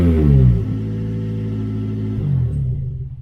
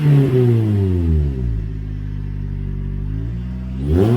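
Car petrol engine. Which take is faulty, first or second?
first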